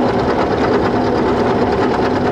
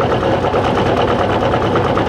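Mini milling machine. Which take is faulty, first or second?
second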